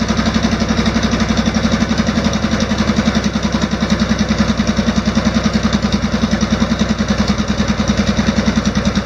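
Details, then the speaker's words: Off-road mower after an OHV engine swap, valve lash reset within spec, started unchoked: even, steady putt at about 200 beats a minute with no ticking; it idles smooth and quiet, unlike the old ticking flathead. "so it seems to run really smooth it's actually uh the engine itself is very quiet"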